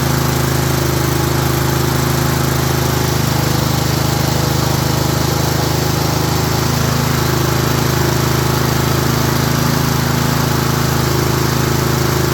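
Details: Craftsman self-propelled mower with Honda engine, previously would not start, running after the missing/misplaced gasket was refitted; steady, even drone with smooth unbroken beat, holding speed without stumbling or surging, smoking a little.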